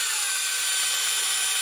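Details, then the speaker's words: Parkside PGS 500 A1 500 W die grinder (4,500–30,000 rpm) at high speed settings 4-5-6 with the supplied burr cutter: shrill whine with harsh buzzing, because the cutter is poorly balanced. "Le cutter qu'ils ont offert en cadeau n'est pas très bon... Ce cutter n'est pas bien équilibré et fait du bruit à haute vitesse."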